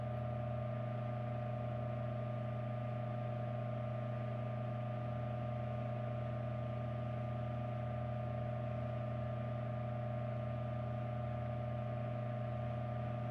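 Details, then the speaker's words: 1940s ILG Model 103 self-cooled ventilating fan, motor model 547, 115V, 0.55A, 0.014 hp, rated 1550 rpm, 9.5-inch type Q blade, running: smooth steady motor hum with an even blade whoosh, no rubbing or rattling. "we're going to start this fan up and hear it hear it's a startup sound and hear it run"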